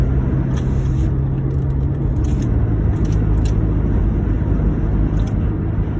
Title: 2009 Honda Accord intake and exhaust leak